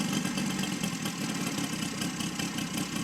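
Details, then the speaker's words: Saito FG60 R3 radial after break-in and leaning out per manual: steady, even buzzing idle at about 1200 rpm with no stumbles or surging; could go lower; normal idle. "there's your idle idling at about 1,00 12200 right there I can go much lower but I'll probably keep it there"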